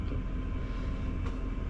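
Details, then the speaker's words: Sprinter camper diesel heater, first start after re-plumbing from separate red diesel tank into main fuel tank; low steady rumble, even combustion, no stumbling or cutting out; heater running normally. "But it's working. It's fired up. I can hear it rumbling."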